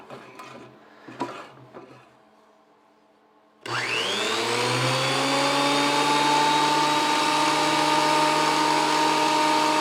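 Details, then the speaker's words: WEN PL1326 13-inch spiral thickness planer after repair, running with no wood fed: the motor whirs up quickly and holds a steady even pitch, fairly loud, with no knocking or grinding. Healthy. "well that seems to make a generous amount of noise and let's find a piece of wood to send through it"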